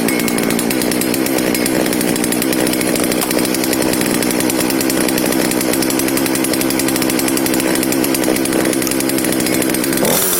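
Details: FK136 chainsaw after diagnosis and repair, choke pulled on start: steady high two-stroke drone holding an even pitch without stumbling or cutting out; running normally.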